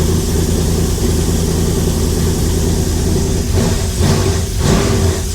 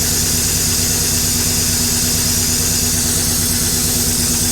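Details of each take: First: LS-swapped 1956 Chevy V8 revving with a loud rumble rising and falling smoothly, no knocking; gauge reads zero oil and fuel pressure, likely a faulty sensor; lifters only slightly clickety, not terrible; normal revving. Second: LS-swapped 1956 Chevy V8 idling loudly with a light, fast clatter over it; owner calls the lifters a little clickety-clack but not terrible, and suspects a faulty sensor behind the zero oil pressure reading; mild lifter tick, unconfirmed.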